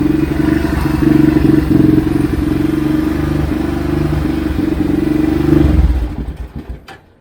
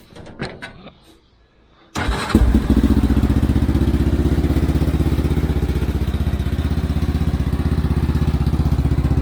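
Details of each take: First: Xcel mini dirt late model (micro sprint based) twin on first start after carb cleaning: chugs unevenly at fast idle with clattery misses, then stumbles and dies; rough running. Oil later found full of fuel; owner suspects the carb is junk. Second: Xcel mini dirt late model (micro sprint based) first start after the carb was cleaned: catches on the first try and settles into a steady, even thumping idle at about four beats a second. Normal start and idle.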